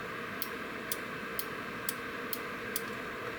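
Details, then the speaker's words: Boiler control board (Beretta/Riello/Carrier, error A01) relay with 24 V DC coil fed from bench supply: sharp clicks about twice a second over hiss, coil works but contacts never close, no multimeter continuity beep; relay faulty. "Значит неисправно внутри, слышно фото реле, т. е. катушки оно хорошее и значит оно все равно возбуждается, оно подает напряжение на рычаг внутри но оно видимо есть ."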